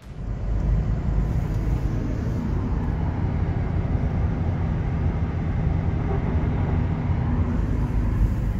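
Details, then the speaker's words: Subaru Legacy after a gutted aftermarket exhaust (thought to be from a diesel Octavia Mk1) that droned badly was swapped for a replacement original: smooth, low, even exhaust hum without booming or drone; normal exhaust note. "Koupil jsem tedy náhradu originálu a poslechněte si to auto nyní."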